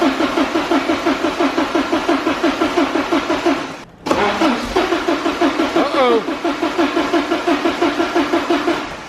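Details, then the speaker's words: Porsche 944 widebody after fuel pump and hose replacement, with the ECU removed from the car: steady cranking at about three compression pulses a second, a brief pause, then more cranking that never fires. Cranks, won't start. "just realized something when we disassembled the interior we took the ECU out I think it's gonna start without that"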